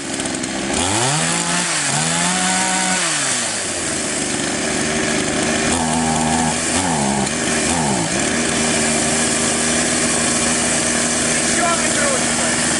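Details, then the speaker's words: Chinese copy Stihl MS660 chainsaw that stalled on throttle, after carburettor adjustment (both screws out two turns, front screw opened further): revs climb and drop cleanly, pulls steadily through wood without bogging; carb set right. "Таким образом, инструмент работает в обычном режиме. Мы завершили настройку."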